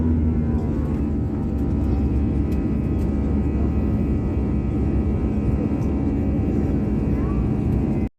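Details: Airliner climbing after takeoff from Skardu airport, noise starting about 20 seconds after takeoff: steady loud roar with a rough droning low rumble and faint constant tones; unusual engine sound of unknown cause.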